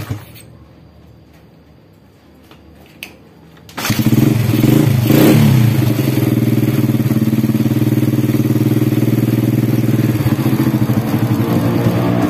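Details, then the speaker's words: Supra Grand motorcycle engine after replacing the cam chain, whose rattle was caused by a worn roller: it starts and settles into an even, steady idle with no chain rattle, only a somewhat loud exhaust. Smooth again. "Nah kayak gini suaranya Udah halus kembali ya"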